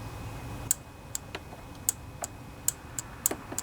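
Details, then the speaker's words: Kohler Courage 27 hp twin-cylinder on a Craftsman riding mower, after carburetor cleaning and rebuild: key to first position gives sharp light clicks, fuel shutoff solenoid (previously silent, gummed up) now working properly. "hear that clicking that tells us that that fuel solenoid is working just fine"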